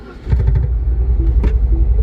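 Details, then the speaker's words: 2009 Mini Cooper S turbocharged (second generation), towed in running rough: engine catches and settles into a lumpy, shaking idle, a misfire later diagnosed as a damaged cylinder bore. "can definitely feel it the engine's shaking it's vibrating it definitely has a misfire is what it feels like one of the cylinders is dead"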